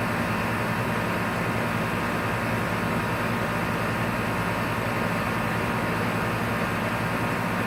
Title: Outside compressor grinding noise 6:10 in